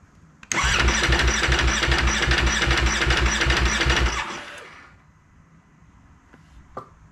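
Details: 2019 Ducati Panigale V4 S after sitting about a week: starter cranks fast, about two and a half beats a second for four seconds, never catches; intermittent cold hard-start, cause never found, avoided by keeping battery charger connected. Cranks, no start cold.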